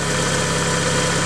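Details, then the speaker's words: Citroen Saxo VTR idling after installing a new exhaust manifold and catalytic converter: steady idle with a faint rapid puffing under the exhaust note, pointing to a small exhaust leak, probably at the manifold. "let's start the engine and there's two things here one see if it's leaking so we should be able to duck down when you hear it leaking probably from the manifold"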